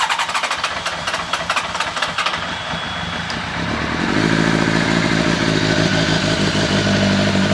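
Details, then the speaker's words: Honda CBR1100XX Blackbird first start with a replacement engine and a known-good battery: it catches quickly into a steady, even idle with no knocks or misses. Some smoke, which the owner believes is grease burning off as it heats for the first time. "Oh my god, we have a running bike. Got a bit of smoke in places."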